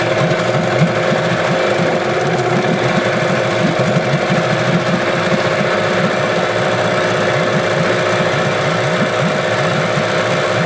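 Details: Old small Yamaha outboard, eight horsepower per owner: fast, uneven chattering beat with a lumpy low rumble; runs rough and won't idle unless choked, a common problem on this design.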